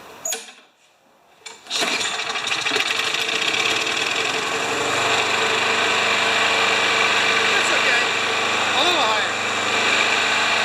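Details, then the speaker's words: Craftsman mower small engine after start-up running fast and busy, with a light rapid tapping under the buzz. The owner suspects it revs to 4000–5000 rpm, explaining the mild knock; the engine burns oil. Cause not confirmed. "so if it rips to 4000 or 5000 revs now that'll explain the knock in the engine too right because the engine's knocking a little bit let's get her started you might have to shut it off right"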